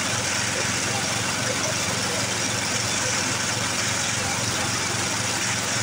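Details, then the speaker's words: 1982 Snapper Hi Vac mower stored for years, running on fresh fuel with air filter off: fast, uneven patter with hiss; runs rough after sitting, owner plans carb tuning, cause not pinned down. "well now just didn't run too awful bad did she fired Right Up grand decent might try to do a little bit of tuning on that carb though"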